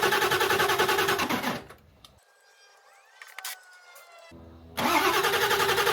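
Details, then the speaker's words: 2001 Ford F-350 Power Stroke diesel that had rolled over, being readied for a 1967 M715 body swap: fast, even cranking stops and resumes but never catches. Running on two jump packs that are losing power. Dirty fuel was present in the tank. "Well, we're running out of power. Both the jump packs"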